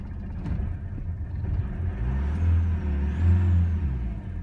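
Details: Renault Master that would not start, service light blinking with immobilizer ring decoder not communicating with the key, after the immobilizer ring was replaced: diesel catches, revs up and settles, smooth low rumble without misses, runs normally.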